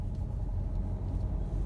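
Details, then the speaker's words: 2012 Renault EDC dual-clutch gearbox: deep steady hum and growl beginning as the car pulls away, from a worn gearbox bearing. "araç hareket etmeye başladığı an duyuluyor mu bilmiyorum ciddi bir uğultu sesi hırıltı sesi araçtan geliyor hareket etmeye başladığımız an ses başladı"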